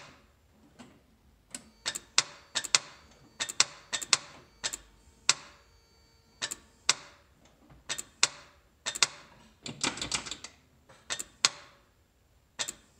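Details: 1991 Toyota 4Runner 22RE: sharp dry clicks in irregular bursts with no cranking at all; starter click, no crank, no start.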